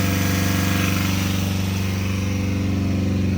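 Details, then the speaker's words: Honda engine filled with chocolate milk instead of oil, held near 3,000 rpm: loud harsh drone with steady rapid clatter, about four knocks a second, bearings possibly getting tight; knocking from lack of lubrication. "Sounds pretty loud up there. A little bit, it's clanky."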